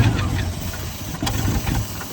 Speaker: All right, new plan. We've got a crank no start on the Range Rover.